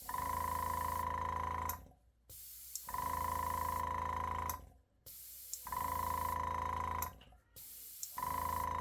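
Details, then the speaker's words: Microjet MID 15-litre compressor feeding a Wimpel airbrush, pressure turned up slightly: small motor hums evenly with a steady mid-pitched whine in roughly two-second bursts, running whenever the airbrush trigger is pulled; sounds healthy. "O tempo inteiro que você está usando, ele está trabalhando, tá?"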